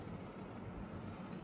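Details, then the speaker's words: Air conditioner indoor unit with a steady low droning buzz and vibration because its filter cover was not closed tightly after filter servicing; closing the cover should remove the sound. "هذه المشكله عاديه جدا المكله في الغطا لم يتم قلقه باحكام"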